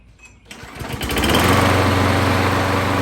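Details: Craftsman 21-inch 6.5 hp mulcher mower rescued from scrap pile, with replacement coil, resealed valve cover, carburetor refitted, primed a couple pumps: small single catches after a few sputters, then steady even fast beat, no misses; running healthy.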